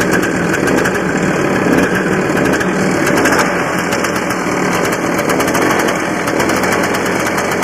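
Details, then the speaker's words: Barn-find 1984 Honda Odyssey two-stroke, cold start on gas mix poured into rebuilt carburetor with choke on: buzzy, slightly uneven idle that keeps running and winds up readily with throttle; sounds healthy, though owner wonders if it's running lean. "to me it sounds like it's running pretty good especially when you get a little bit of fuel it seems to wind right up and want to take right off"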